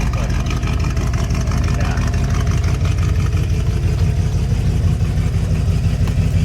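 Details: Classic car with a 365 hp 460 V8 and dual exhaust, revived after long storage, transmission rebuilt: a deep, steady idle with an even low burble and no knocks or misses; normal.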